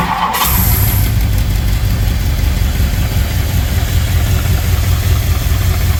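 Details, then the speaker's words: 1964 Ford Thunderbird engine idling smooth after unsticking stuck valves and rebuilding the top end; the lifters have pumped up after a short run, with no top-end ticking, a steady even low rumble. It never idled smooth before, probably from being down one cylinder. "so now that we ran it just a little bit our lifters are pumped up things sound better and it idle smooth oh it idles smooth"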